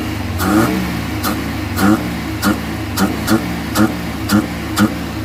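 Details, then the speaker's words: Suzuki Carry, gasoline/LPG, idle about 1000 rpm (900+ with A/C), on gasoline; complaint of shaking, overheating, only reaching 60: short rev blips about every half second that bog and fall away instead of climbing; stumbles on both gasoline and gas, cause not confirmed. "แต่เร่งไม่ได้ปุ๊บๆๆๆตัดมาทางระบบแก๊สก็แก๊สออกเยอะใช้ไม่ได้เป็นปุ๊บๆๆๆเช่นเดียวกัน"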